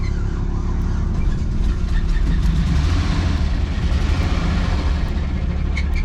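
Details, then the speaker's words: Campervan engine after something popped and smoke came from the bell housing area: deep, rough, labouring rumble that stalls unless the throttle is held; cause unknown. "That sounds really bad. Problem is it won't stay if I don't keep my foot on the gas."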